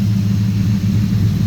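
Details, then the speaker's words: 1988 Fox-body Mustang with a Coyote V8 swap, gen 3 short block, gen 1 top end, stage two supercharger cam, variable cam timing, dual 3in exhaust with H-pipe: deep, even idle with a hint of cam lope, normal. "coyes don't really chop too much variable cam timing"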